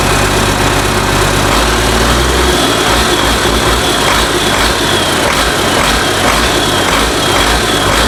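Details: International DT466 diesel for a 1966 Ford F250, first start after fuel priming, idling with no muffler: loud, rough, steady clatter with no knocks; runs well, oil pressure not yet gauged; normal idle.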